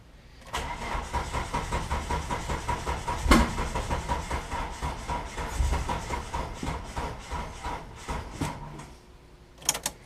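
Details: Eclipse with a 420a engine on Megasquirt, first start after wiring, battery charged only a few minutes to almost 12 volts: starter turns in laboured pulses for about eight seconds without catching. Slow cranking, no start, probably low battery.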